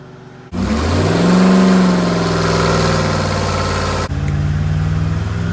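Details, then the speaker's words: Second full-throttle dyno run of a restored Rover P6 3500 V8, warmed up and timing adjusted, with the dyno stabilising the load; deep steady roar holding even under load with no knocks or misses; the first pull made 168 bhp at 4900 rpm. "I'll do another run because that's the first one, and usually the second run produces a bit more. Ignition and pumps on, start button, full throttle, dyno stabilise the load."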